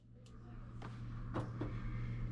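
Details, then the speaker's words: Samsung dryer that only hummed with the drum not turning, after removing a t-shirt stuck in the blower wheel and reassembling: steady low hum with a couple of light knocks as the drum turns evenly; now working. "plug it back in turn it on and verify the drum is now in fact turning"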